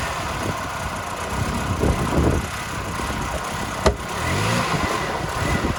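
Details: 2000 Toyota Yaris 1.3 VVT-i automatic under throttle: revs rise unevenly and stumble. No fault codes; plugs, air filter, fuel pump and throttle position sensor replaced without fixing it; MAF not replaced. Hesitation or misfire, cause unknown.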